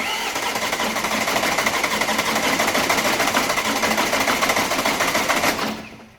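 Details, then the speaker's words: Alfa Romeo Giulietta diesel after rebuild, cranked with a sensor disconnected to circulate oil: steady rhythmic starter churning, about three compressions a second, never catching; cranks, no start, as intended. "so it's not going to start when I do this I just need to crank it to get the oil circulated around it shouldn't start because of disconnect see one of the sensors"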